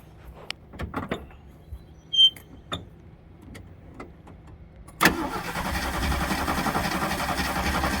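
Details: 1974 AMC Hornet parked for years, with a points distributor, corrosion and only a weak spark: the starter churns steadily after a few clicks but the engine never fires. Cranks but no start; cause suspected, not confirmed.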